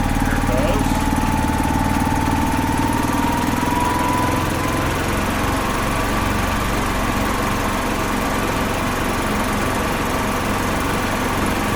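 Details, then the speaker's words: 2005 Club Car Precedent gas golf cart, revived after about 5 years sitting, run slowly after adding just over a gallon of fuel to prime the fuel system. Smooth, even low putter at a slow steady idle with no knocking or stumbling; normal idle. "oh it's a beautiful thing it's great when everything works like it's supposed to"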